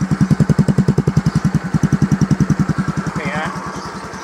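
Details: Yamaha injected automatic scooter (X-Ride/Mio M3/Mio J type) after rebuild with only piston rings replaced, block and piston reused, warmed up; steady even exhaust pulses at smooth idle about 3.5 per second, no misses or knocks, no smoke; healthy.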